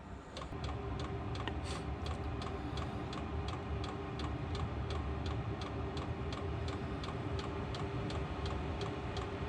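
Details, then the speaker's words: HCalory 8 kW diesel heater in a garage, startup on heat setting 6, muffler clamped on: quiet, steady dosing-pump ticking over a soft fan rush, already quieting as the heater ramps up. Normal fuel pump ticking. "That pump is not loud at all. And it quiets down. Once everything ramps up and stuff, you won't even hear it. Which is what it's doing now."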